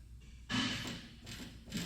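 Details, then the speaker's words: Toyota Tacoma/4Runner front wheel rocked by hand: two dull clunks about a second apart with huge play despite intact boot; worn upper ball joint knock. "loud knock. That definitely, and a huge play. See, it's a huge play in this area. There's no doubt. that we feel that upper ball joint."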